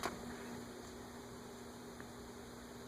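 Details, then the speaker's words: Westinghouse Sidewinder antique ceiling fan model 115725, 5-speed, drawing 0.79 A on speed 5: steady electrical hum at one pitch with no blade whir; motor energized but stalled, will not stay running or restart. Cause not confirmed. "And it looks like it'll run there. I don't think it's going to stop, but it will not stay running. And it will not start from there."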